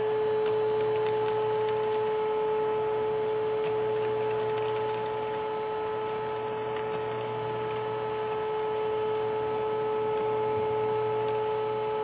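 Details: 1992 Panasonic Jet-Flo MC-9530 canister vacuum running with its power nozzle: constant high whine with a rough, gritty hum underneath, steady through the run; the motor bearings are worn or dry and need replacing or regreasing.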